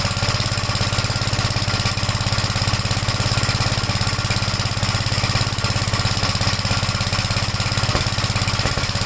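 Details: 1956 Gravely Model L single-cylinder started on choke at about 3/4 throttle, then throttled down: loud chugging beat with uneven firing and pops; runs rough, smoked at startup, plug oily; owner suspects top-end/valve trouble, not confirmed.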